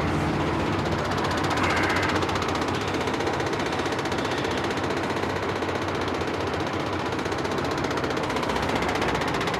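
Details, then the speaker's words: Truck running: a heavy, rhythmic buzzing vibration at about four pulses a second. The driver questions what is vibrating so much; source not identified. "porcaria quer saber que que é esse barulho aí que tá vibrando tanto"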